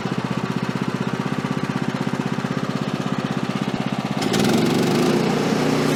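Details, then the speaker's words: Woodland Mills HM130 Max portable sawmill after tensioner bearing replacement and blade guide work, cutting small silver maple log: engine thumps steadily about four a second, blade bites in with smooth even rasp, no squeal or rattle; cutting normally. "She's cutting really good now."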